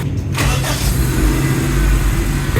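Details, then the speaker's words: 2008 Suzuki Liana with replaced engine, starting very well: quick crank catches within half a second, settles into steady smooth idle; no chain noise, good throttle response; normal start. "Accelerator देने पे इसकी sound बहुत अच्छी है। और इसकी starting भी बहुत अच्छी है।"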